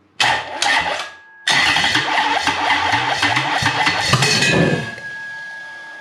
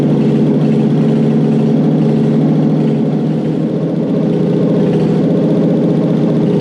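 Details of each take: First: Toyota 1UZ-FE non-VVTi V8 test-run on an immobilizer-equipped ECU with the igniter outputs swapped: cranks, catches and runs with an uneven, stumbling beat as if the timing is out, with smoke from the exhaust. Fix is to swap the igniter outputs back. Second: Toyota 1UZ-FE non-VVTi V8 (95-97) fitted with an immobilizer delete unit in the USDM 89661-50341 ECU, running after the install: loud, steady idle with an even low rumble and no misses or knocks, so it starts and runs healthy. Owner notes cylinder seven has a leaky valve.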